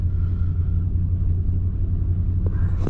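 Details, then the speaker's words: Nissan Titan with multiple misfire complaint, gas-smelling smoke, running rich with MAF reading too much air: deep uneven idle with a lumpy, stumbling beat and missing pulses; misfiring at idle. "and also there's a lot of smoke i don't know how you guys see that and it just misfired like crazy"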